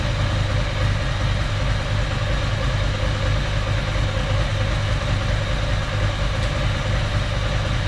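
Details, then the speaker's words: 1993 Ducati 750SS with standard Mikuni carbs, new jets, about 85,000 km, on a gas analyser; vertical cylinder idle mixture screw wound in one turn from about 5¾ turns out gives a steady, lumpy V-twin idle, running quite lean. "one turn in on the vertical a little bit too lean at that I'll bring it out it's going quite lean that's one turn difference and you can see how fast it responds"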